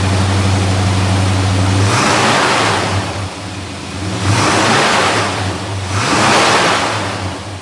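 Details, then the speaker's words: 1963 Dodge Polara 330 with 413 Max Wedge V8, dual 4-barrel carbs, dual exhaust, 727 TorqueFlite, started with hood open: deep lumpy rumble with three clean throttle blips rising and settling smoothly, no misses or knocks; healthy engine. "We'll go ahead and drop it down off the lift now, get that hood opened up, and we'll fire that 413 motor up for you. That way you get to hear what it sounds like."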